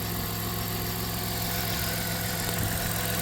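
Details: 1997 Dodge Caravan LE after new rod and main bearings were fitted and the idler belt alignment was corrected: a steady, even idle with a smooth low hum and no squeal, chirp or knock.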